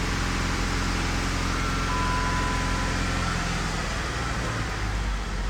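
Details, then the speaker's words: 2013 Jeep Wrangler, flashing check engine light, P0303 cylinder 3 misfire plus open-circuit codes for all six injectors, possible rodent wiring damage; held at a steady 2,500 rpm the drone stumbles and pulses unevenly, a strong misfire. "steady 2,500 RPMs, it's misfiring real good."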